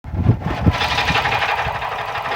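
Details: 2002 Subaru WRX 5-speed, about 141k miles, running: harsh rasping rattle with a few uneven low thumps from a timing belt tensioner bearing catastrophically failing; the belt did not skip teeth and the valves were not bent.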